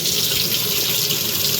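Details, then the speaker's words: Washing machine that only hummed, after tapping the inlet fill valve and knocking debris out (possibly plugged): strong steady hiss of water rushing in, no sputter or surging; normal water fill. "coming in there nice now okay"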